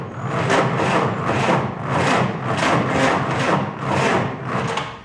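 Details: 1949 Willys F134 engine, good battery, carb leaking fuel: slow uneven churning strokes about 100 a minute, no firing; cranks but won't start. Owner suspects slow cranking speed or the carb, which needs rebuilding.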